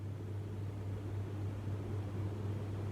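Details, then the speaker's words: Fantasia Phoenix 42-inch ceiling fan, about 10 years old, after its remote receiver unit was replaced, switched up to high speed: steady, even low hum with a stronger rush of air, no knocking, scraping or wobble; runs normally. "So that's medium speed, that looks perfectly fine. And we'll put it onto high. I can hear that kick in"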